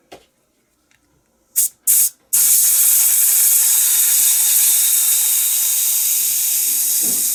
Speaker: I've got some air in there. You hear that sputtering.